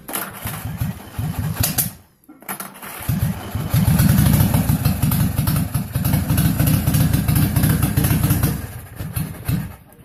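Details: Willys Jeep engine after a loose connecting rod bearing repair, with a used bearing from a parts motor and shims taking up wear on the damaged crank. It cranks, catches after a brief pause and settles into an even, low, steady run with no knock.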